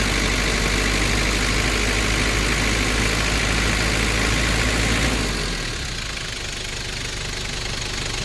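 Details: 1994 Nissan Big M pickup, BD25 2.5 L four-cylinder direct-injection diesel, after a test drive: steady, even diesel clatter at idle with a smooth low rumble, no misses or heavy knocks; healthy engine.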